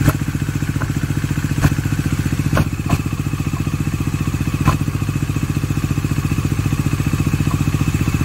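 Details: Bajaj Dominar 400 with under 1000 km, idling after oil level check: fast regular clatter about 220 beats a minute over steady low idle with sharp clicks; oil reaches top; abnormal engine noise, source undetermined.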